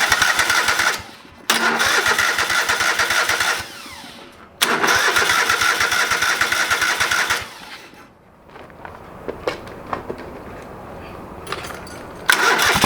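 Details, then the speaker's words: Old lawn mower being revived, first start after carburetor rebuilt and fuel added to the bowl: several long cranking bursts with pauses before it finally catches; fired, but not right up, so slow to start. "all right she fired not right up but she fired up so i'm gonna see if she can do it again"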